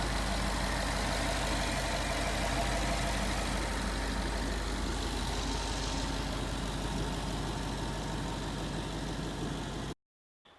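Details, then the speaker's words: Post-repair idle of a 2011 Ford Mustang GT 5.0 Coyote with Roush exhaust, parked outside after a 15-minute, ten-mile drive. All rod bearings replaced with King CR868SI plus new TTY rod bolts, 5W30 oil. Steady deep rumble, light knock and tick gone. "indeed the tick was gone but that footage was in a garage and it was pretty echoey with the Roush exhaust"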